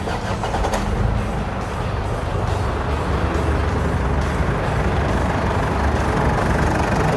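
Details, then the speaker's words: 2006 Ford Ranger Open Cab, 5-speed manual, new aluminium radiator; engine starts quickly and settles into a steady, even idle with no belt squeal or knocking; healthy normal start and idle. "เครื่องยนต์ปกติมีเลยนะครับผมแล้วก็เสียงแนวฟังแล้วไม่มีเสียงสั่นสายพานถึงเหตุอะไรนะครับซื้อไปพร้อมใช้งานเลยนะครับ"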